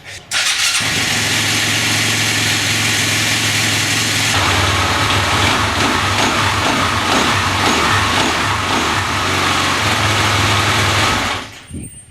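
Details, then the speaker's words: 2007 Husqvarna TE250 with newly installed 300cc Athena big bore kit (new cylinder and piston), first start, cold oil, on choke: fires and settles into steady, even run, no rattle or clank (was rattly before), less noisy; slight exhaust smoke, owner suspects rich jetting or unseated rings. "Well, it runs. It runs. That's very good news. I don't think the engine is as noisy."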